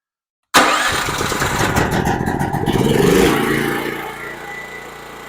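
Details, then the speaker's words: Generac GP6500E generator that sat for years, after carburetor cleaning, gas tank drain and new switch, started on choke: catches right away, steady even run, smooth idle, no misses or knocks; runs like new. "oh there you go it runs like brand new again"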